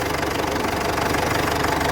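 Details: 2007 Ford Everest Gen2 common-rail diesel, after fixing its crank-but-no-start fault: a steady diesel idle with an even, fast clatter at a constant level. It starts and runs fine now.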